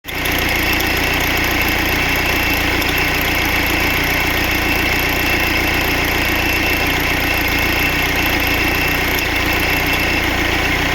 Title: OM646.821 rattling sound